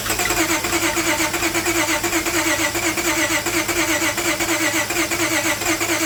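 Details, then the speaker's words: Towed-in car, crank no start, new spark plugs fitted, engine fed from an added external fuel source with treatment cleaner: steady starter churn around 85 beats a minute that never catches into a run. No-start. "So it seems like it's running on it's trying to start up on its own fuel source."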